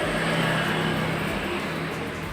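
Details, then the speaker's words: 2017 Honda Scoopy scooter with rough grinding noise when the rear wheel is turned; block opened, final drive (gardan) turned by hand sounds smooth with a steady whir and no grinding, so the fault is in the rear pulley, not the final drive. "Nah, suaranya halus ya. Berarti penyakitnya itu bukan di gardan, melainkan di puli belakang."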